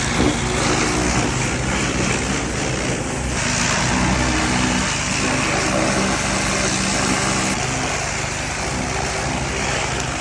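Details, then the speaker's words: Husqvarna hydrostatic lawn mower, 337 hours, measured 104 dB: harsh, very loud raw unmuffled bark while running; exhaust leaking before the muffler, welded. "It runs, it moves, it mows. The only problem is it is loud. And I mean loud."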